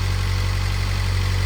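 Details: Gen 2 Toyota GR86 just fitted with an HKS turbo kit and intercooler, idle during leak check: deep, even idle with a steady low drone, no ticks, hiss or knocks; no leaks found, engine healthy.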